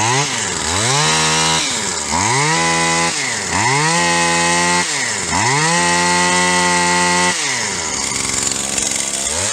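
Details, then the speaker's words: Stihl HL 75K hedge trimmer two-stroke after carburettor replacement, first start: blips up and falls back about every two seconds, settling to a quick steady idle; idle set too high, needs adjuster screw tweak. "so it's idling a little fast it's gonna need a couple of carbage us ones back here with these adjuster screws"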